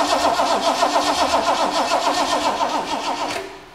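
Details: 1969 Ford Mustang Mach 1 after 20+ years stored, first crank with throttle cracked slightly: steady starter whirr about four beats a second, turns over but never catches. Crank, no start; points suspected corroded, not confirmed.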